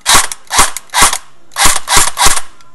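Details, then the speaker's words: Echo1 USA Platinum M4 airsoft gun after replacing stripped piston: six crisp evenly spaced shots in two bursts of three, clean snaps; gearbox cycling properly, plenty of air, good seal. "good I have plenty of air coming out got a good seal"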